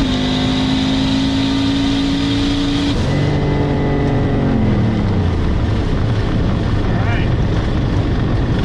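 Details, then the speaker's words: Turbocharged drag car with new turbo, new plugs and working O2 sensor, eighth-mile pass at 5.16: strong, clean rising note pulling hard through a shift without stumbling; no longer sounds like running thirty pounds of boost all the way or heavy back pressure. "does that sound so much better it sounds a lot happier it doesn't sound like it's running like thirty pounds of boost the whole way it's not like it has a bunch of back pressure"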